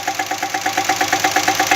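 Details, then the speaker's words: Jeep Cherokee idling after new spark plugs and cleaned injectors, with a fast, even hammer-drill-like tapping of about nine knocks a second from inside the engine, now louder. A broken rocker arm is suspected; removing the cylinder head is being considered. "vou ligar o carro pra você escuta o barulho que está acontecendo é o que já estava"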